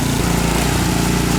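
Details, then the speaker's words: Ariens Deluxe 28-inch snow blower, gravity-fed, fuel cutoff switch off to drain the carburetor for storage: small engine putters unevenly with stumbles and gaps, about to die as the carburetor runs dry; fuel starvation. "You hear it running rough? Yeah. It's going to die pretty soon."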